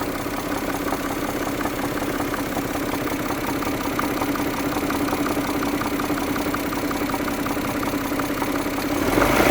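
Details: Mazda Millenia KL 2.5 engine at idle: a rough tapping of about three knocks per second rides over the engine note, an engine knock of unknown source.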